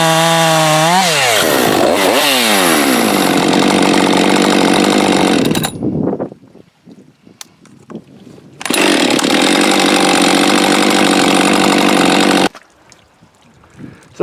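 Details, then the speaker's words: Husqvarna 550XP AutoTune chainsaw after case and seal rebuild and pressure/vacuum leak test: starts first pull, revs cleanly to a crisp even scream, drops to a steady idle without bogging, stalling or overrun; normal running. "that's a happy 550 starts first pull you can get it warmed up drop it right to idle it doesn't bog or stall"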